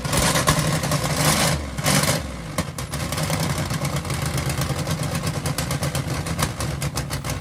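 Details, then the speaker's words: Holden VN Calais build, first start before dyno tuning: after a few early blips the engine settles to a steady, even idle with regular low exhaust pulse; healthy. "such an awesome sound just to hear it idle for the first time."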